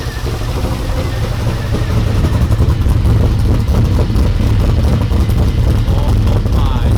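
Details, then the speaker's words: 1992 Ford F150 prerunner V8 after fuel pressure regulator set up properly: steady even idle that builds slightly and holds with no stumble; oil pressure about 29-34 psi, charging 14.6 V; normal idle. "so legit runs way better with the regulator set up properly now we're just going to let it run for a little bit to get things worked in"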